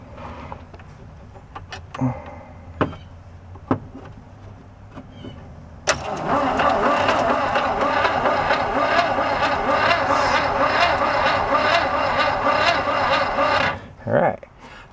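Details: 1969 VW Fastback sitting 19 years, starter hot-wired by crossing terminals; a few clicks, then steady even cranking for about eight seconds, healthy cranking.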